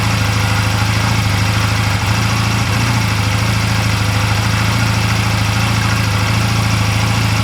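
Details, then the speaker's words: 2004 Honda Rebel CMX250C idling after a spark plug change, idle turned down: low, uneven, lumpy beat with occasional stumble; still rough on the second new plug, and the first new plug was worse. "yeah if I turn the idle down you can hear it's still rough okay so the First new plug was definitely worse"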